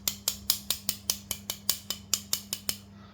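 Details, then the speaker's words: Scooter CVT after bearing replacements, tek-tek from the pulley area at slow speed: fourteen sharp tinny taps about five per second with metallic buzz. A loose clutch bell cover plate is striking the adjacent part. "jadi ternyata penyebabnya itu ini ya ya dari plat ini ee bertabrakan sama ini ya waktu jalan pelan khususnya ya"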